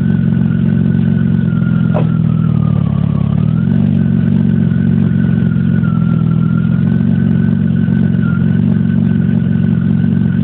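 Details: 1997 BMW E36 M3 petrol engine running with a steady high whistling whine over its low rumble; cause unknown, a car being considered for purchase.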